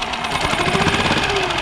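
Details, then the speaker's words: Used outboard jon boat motor idling while warming up for a couple of minutes; fast even chugging, steady firing with no misses or surging. Normal idle. "then what I would do take the throttle let it warm up for a couple of minutes on idle"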